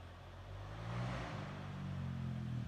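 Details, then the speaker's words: Honda XR250 after an engine rebuild fixing a broken countershaft that lost three gears: test run after reassembly, a low, even single-cylinder burble that picks up slightly and holds steady with no knocks or rattles, running perfectly like new. "running perfect brand new one"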